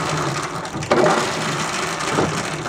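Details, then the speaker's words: Free roadside snowblower with a rusty drive chain: irregular metallic crunching and ratcheting as a few stiff links are worked loose while the chain spins slowly; the noise is already improving, and these chains are noisy even from the factory. "You can already see it's much better that noise. They're always noisy. Even from the factory, they're they're pretty noisy with that that sound."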